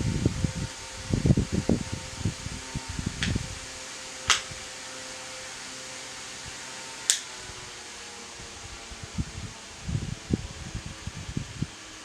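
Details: Lakewood HV-9G fan, about 12–13 years old, running on low: quiet steady hum with faint even whir and handling rustle; motor runs smoothly and sounds fine.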